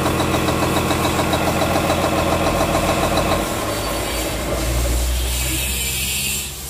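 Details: Komatsu S6D125 diesel on test run after general overhaul (engine noise, broken No.5 piston, spun No.4 conrod bearing; crankshaft, liners, pistons, conrods, bearings replaced; turbo repaired, FIP and nozzles calibrated); even steady beat settling lower, no knocks or misses; normal running.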